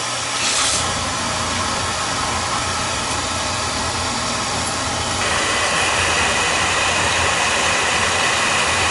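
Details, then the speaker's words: Oil burner during a combustion check, after an oil leak at the tank: steady roaring flame hiss over a fan drone, even and unbroken. Another nozzle was tried and made it worse; as set, it runs clean and lean, normal operation. "It's running clean. It's running clean and lean."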